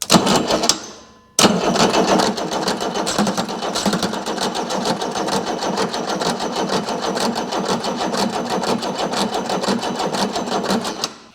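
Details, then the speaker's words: Chrysler diesel (rebranded Mitsubishi 6DS70 marine six), barn-stored for years, fuel filter primed and injector lines cracked open: steady fast cranking chatter with no firing; two injectors still without fuel, air in the lines. "hopefully you can get her gone here and get these other two injectors with some fuel at them and bled out and I believe this old girl is going to run"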